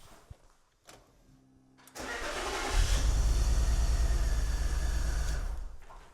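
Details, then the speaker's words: BMW E46 330Ci Clubsport M54 with heavy misfire, cylinder 1 coil pack unplugged for elimination test: engine catches and settles into a lumpy, shaking idle, clearly worse, so cylinder 1 was firing. "Right, so we've just undone the coil pack for cylinder 1 and we're gonna see if it's worse or the same. Definitely worse."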